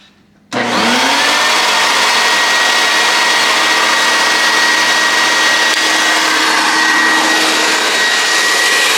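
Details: Homemade turbine paint sprayer built from vacuum cleaner motors, being set up to paint a 1967 Camaro subframe: motor spins up within a second to a loud, steady rushing whine that holds without wavering; running normally.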